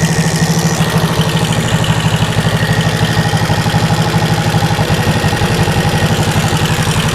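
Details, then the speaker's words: 1974 Honda CB360 with pod filters and a new jet kit, warmed up, idle mixture screw moved from two turns to one turn out with little change: steady, lumpy, low idle; owner suspects needles set too high, running rich. "That adjustment didn't really make a big difference. Didn't really hear the engine go up or down, which leads me to believe that the uh the needles are too far up. allowing a lot of fuel to go by."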